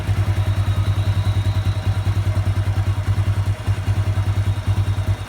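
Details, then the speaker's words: Honda Revo 110 (old Revo "jangkrik"): steady, even idle of roughly 200 pulses a minute, no clatter or knock; very smooth, healthy running. "Nah untuk yang lain ini kita bunyikan Oke halus banget untuk suaranya"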